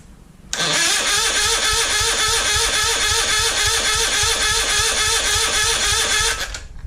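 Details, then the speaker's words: Citroën 2CV engine with carburettor stood empty for 20 years, full choke, a little throttle, weak battery: starter turns it over at a steady three to four beats per second but it never catches; owner suspects the carburettor is still filling. "I think we're still filling the carburettor up, to be honest."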